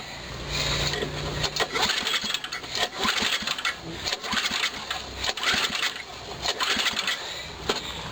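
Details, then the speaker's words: Snowblower engine (believed 5 hp, year unknown), spark plug out, throttle fully open, pull-start compression test reading 80-85 psi: irregular cranking with firm even chuff, no firing; well sealed, though it needs a carburetor adjustment. "so this engine is pretty well pretty well sealed up runs nice it needs a carburetor adjustment though"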